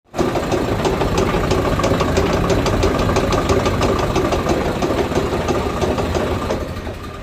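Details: Tractor running a rotavator: steady clacking knock about three times a second from an overlong inner PTO shaft bottoming out, not broken bearings or a bad cross joint.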